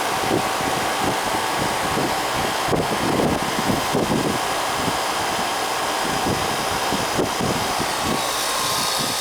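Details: Commercial AC condenser that was not cooling, after adding an 80 and a 10: steady, even rush of fan air over a constant compressor hum, no rattles or stalls; normal running.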